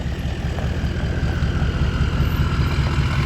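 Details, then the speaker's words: A 6.0-liter truck arriving and rolling in: deep, even rumble with steady low pulses and no knocks or rattles; it sounds good. "That 6.0 sounds good."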